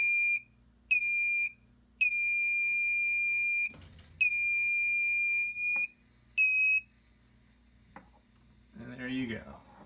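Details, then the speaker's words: Xantrex Prosine 1800 inverter on a DIY six-module Nissan Leaf battery pack: loud steady high beeps in long irregular bursts as input drops to about 20 V, the inverter entering low-battery shutdown. "so just went into a shutdown okay 16 6 low battery"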